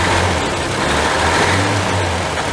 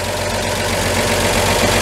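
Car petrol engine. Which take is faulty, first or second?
first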